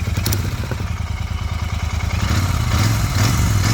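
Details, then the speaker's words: 2023 Royal Enfield Continental GT 650 twin with a strange 'kat kat' ticking noise; owner thinks silencer was left loose when refitted; light ticking over idle thump fades when silencer is pressed, returns on revving: exhaust tick from loose silencer. "तो भाई लगाने वाले ने I think इसके अंदर problem ये कर दी है की इसका जो साइलेंसर है ना ये लूज है"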